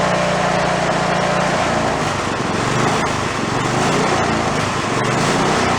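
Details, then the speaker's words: Toro riding mower single-cylinder engine, failed and torn down, rebuilt missing half its crankshaft, idling with no throttle: loping, uneven thumping with shaking from the unbalanced crankshaft, yet not as bad as expected. "They're really not terrible. I thought it was going to shake a lot."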